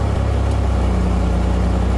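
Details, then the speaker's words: Pontiac Fiero after an R12-to-R134 AC conversion, engine idling with the compressor clutch jumped on and off. This part is a steady low idle hum with no clutch engagement or compressor load. Finding: normal idle, AC compressor off. "hear that definitely hear the rpms drop a little bit you hear the click of the clutch so that's with it on that's with it off"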